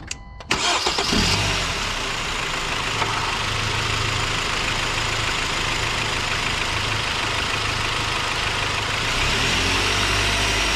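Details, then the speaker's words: Car engine cranks, catches and idles, then revs several times with no serpentine belt squeak or squeal after dielectric grease was applied; before, it squeaked for 30–60 seconds on cold start and at 2,000–3,000 rpm. "So as you can see, I started it up, did the same exact test that I did before I applied this product, and as you can see, there is no more squeak, no more squeal. It is completely silent."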